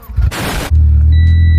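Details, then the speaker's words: Honda GSR EG freshly rebuilt engine, exhaust pipe about an inch and a half short of the header and not contacting it: brief crank, then a loud, deep, raw rumble, very loud even in the cabin; exhaust leak at header joint before welding. "Yeah, it doesn't come in contact with the header. About like an inch half short. So I was originally just gonna run it and just grit my teeth with the noise for a little bit."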